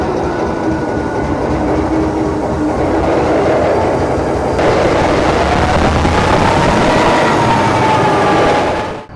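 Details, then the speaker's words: Former CSX SD45-2 locomotive diesel after freeing stuck injectors and reconnecting all of them, run up to 8th notch in self-load; steady throb and rising pitch, no missing or knocking, everything working properly. "We run her up to 8th notch, even in self-load, just for a little bit. And everything's working the way it should."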